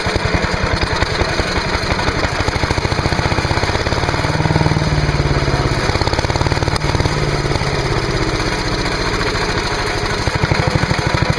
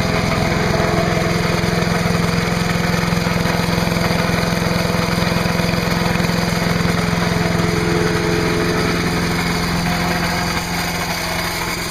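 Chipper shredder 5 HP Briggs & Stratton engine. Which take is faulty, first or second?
first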